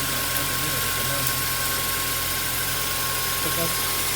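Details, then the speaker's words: 2008 Mazda 3 manual, nearly 200,000 km, idling: thin, constant high squeal from the front of the engine over a steady idle, from the worn serpentine and AC belts, which the owner then replaces; worn drive belt noise. "it's coming on to 200 000 k's now and it's making some noise from the belt area"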